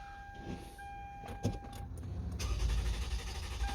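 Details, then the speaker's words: Toyota with smart key that cranks but won't start unless a booster is connected, despite a new, fully charged battery. After switching off and on with the booster, a door chime, then a steady crank that never fires, and the check-engine light no longer comes on. "no now it's not starting see I just turned it off and on and now the check engine light is not there"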